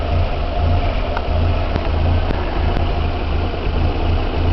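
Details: Nissan Hardbody warmed up, idling lumpy and uneven with a pulsing low drone, like running on two cylinders, after a new timing chain kit (old guide shattered); truck surges.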